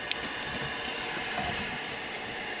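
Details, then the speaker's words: Engine off on a diesel truck, intake pressurised to 50 psi for a boost leak check: continuous airy hiss over a faint low background; air leaking, owner suspects mainly through the bent intercooler. "so obviously this one got some leaks so all you got to do like i said this one's got a intercooler bent in it so i'm sure it leaks all over the place"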